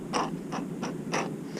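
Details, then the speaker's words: 1989 Lionel GG1 8303 Amtrak locomotive (6-18303, apparently new old stock), motor truck pushed by hand before service: short gritty rasps in uneven bursts. Old lubricant has gone bad and dried out, so the gears bind and drag; cleaning and re-greasing is planned. "You can hear that, just how dryly and how the lubricant isn't really working here."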